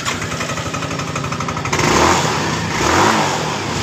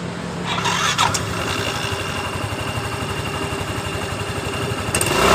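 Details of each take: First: Yamaha Mio M3 scooter: the engine screams, flaring freely with a rising howl when throttled, and the rear wheel does not turn. A snapped CVT drive belt is suspected. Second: Yamaha Mio M3 scooter, which screamed on throttle, after fitting new pulley roller set: catches, settles to an even idle, then one clean rev near five seconds with no slipping or rattle; drive sounds healthy.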